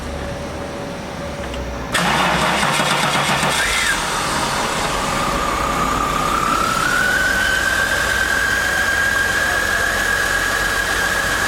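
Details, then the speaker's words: Holden VS Commodore after head gasket job with reconditioned, crack-tested heads, hot restart: engine catches cleanly after brief crank, settles to even steady idle with faint whistle; normal hot restart. "but it's sounding nice yep sounding quite good couldn't ask for more than that"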